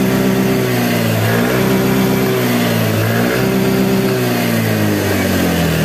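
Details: Yamaha Fazzio scooter (made March 2022) running on a recharged battery, charging about 13.8–14 V: smooth, gently wavering hum as the revs drift slightly, firing steadily; healthy running.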